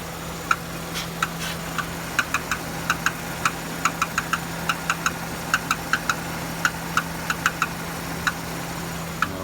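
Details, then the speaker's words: Renault Duster 2.0 F4R with DP8 automatic, AWD, 80,000 km: sharp irregular metallic knocks at warm idle from underneath near the wheel, absent when cold, appearing after 5-10 km and gone with a little throttle. Owner suspects the flywheel. "недавно появился шум на холодную его нет когда завожу где-то километров п там 10 проеду начинает Вот это Начинает появляться вот этот звук чуть газа даёшь Он исчезает"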